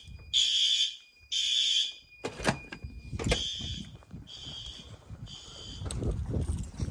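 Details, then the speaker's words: Monthly fire alarm test triggered by heat gun on heat detector: horn strobe gives loud shrill blasts at steady beat with clean starts and stops; sounding normally. "There she went. That strobe in here is good. That horn strobe is good. That strobe is good."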